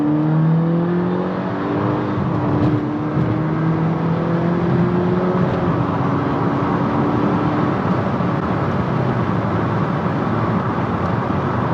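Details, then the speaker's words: MK6 VW GTI accelerating through the gears after the failed turbo was replaced: a smooth rising pull with a clean turbo whoosh and no wastegate rattle under boost; the turbo is healthy. "But this car is way too quiet. The wife says it's too quiet. I agree with her. Anyway, the turbo's feeling really good now."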